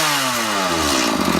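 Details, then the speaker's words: Stihl MS 180 chainsaw after cleaning and reassembly, first run off choke: note falls from high buzz into smooth steady two-stroke idle with no misses; runs nicely on the carburetor, though the oil pump wasn't oiling yet. "just at the carburetor now it runs quite nicely"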